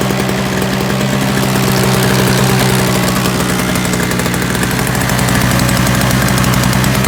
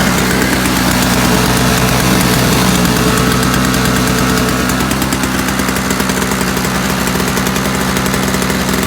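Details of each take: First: Free roadside Toro single-stage snowblower with a missing primer bulb and Seafoam added: a steady, fast two-stroke buzz with even firing and no stumbling or surging, running smoothly. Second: Free roadside-find Toro single-stage two-stroke snowblower, primer bulb missing, electric start likely not working, running on sprayed starting fluid with a little gas in tank: buzzy, uneven chatter; fuel not getting through, likely plugged carb jet suspected.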